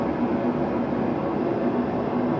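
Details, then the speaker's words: Garage heater running at full heat with its front plate red hot, about 73 dB: a steady, even, deep low roar, maybe a bit louder than the previous heater but less annoying, with no pulsing or squeal; normal. "but like I said the sound it might be a little bit louder but it's a much deeper sound so it's nowhere near as annoying"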